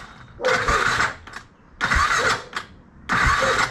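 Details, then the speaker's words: BMW F650 after head gasket sealer treatment, which ran over 10 minutes then died: three short starter cranking bursts, engine never fires; owner suspects hydrolock from coolant, but no water came out of the spark plug hole. "so that sound where it just stops that is I think hydrolock so I want to pull out the spark block and quickly check if we get water out of that"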